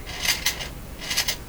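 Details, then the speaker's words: German Greatz Polka tube radio, first power-up after replacing some capacitors: harsh scratchy crackle bursts when the volume knob is turned; suspected DC through the volume control from bad capacitors, unconfirmed. "to me that sounds like dc going through the volume control okay so that that's possible with all those bad capacitors"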